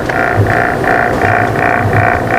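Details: Asahi stand fan motor hums on speed setting 1 with a pulsing buzzy rattle about three times a second; cause a loose rotor on the shaft.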